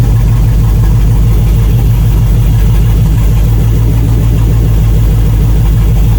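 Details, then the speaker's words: 1999 GMC Sierra 2500HD, compression and spark good, idling during liquid-fire test: loping, uneven idle with low stumbling beat as several cylinders drop out; multiple-cylinder misfire from clogged, seized fuel injectors, rusty fuel rail. "So first thing I'm going to do is just revisit what I did before and try a bit of liquid fire when it's running and see if more cylinders start to run"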